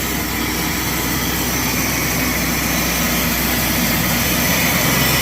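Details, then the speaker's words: Engine with headers after checking and modifying the manifolds and replacing gaskets: steady, even exhaust note at idle with smooth hum, no ticking; exhaust leaks eliminated, engine sounds healthy and quieter. "No more exhaust leaks. She sounds good. She sounds a lot better."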